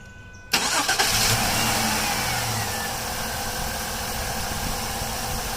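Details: Jeep Liberty cranks steadily but never fires. Fuel pressure reaches only about 45 against a spec of about 53, which is low; a blocked fuel filter or a bad fuel pump is suspected.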